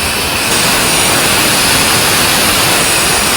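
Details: Gas stove cylinder regulator, often after fitting a new gas cylinder: loud steady hiss of gas escaping where regulator meets cylinder, leak from faulty rubber seal.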